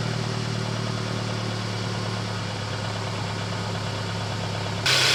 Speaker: Let's try an engine cold start for both the Mercedes as well as the Toyota now.